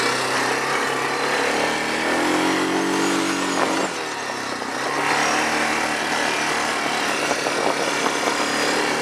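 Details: Machine bought at a yard sale, with automatic transmission, while riding: steady engine note rises and falls with throttle, no knocks or misses; found not actually broken, normal running.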